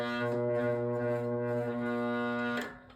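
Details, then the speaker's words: GE Vortalex fan on high, motor buzzing but not spinning: a loud, steady electrical buzz with a deep hum, felt through the floor. It sometimes struggles to start and eventually spins; stalled motor humming. "But Okay, so I can actually feel it buzzing through the floor. And there's a tiny little bit of torque in there which will allow to spin."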